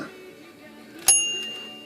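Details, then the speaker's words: Royal manual typewriter bell after the clapper was bent so it no longer touches the bell at rest: a single bright, clean ding that rings on and fades evenly with no dull clack, repairing the dull ring tone. "how's that sound that's a little better already okay so all i did was move that clapper from touching the now there's a little bit of movement between the clapper and above when it's in stationary position"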